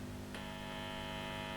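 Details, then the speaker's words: 1955 Fender Tweed Deluxe guitar amp on the bench, switched on in the instrument channel after cleaning DC off a scratchy pot: faint steady low hum with thin buzz, no crackle; still slightly hummy, cause not yet found. "it's working well my channel also working well [Music] sounds good still a bit Hummy"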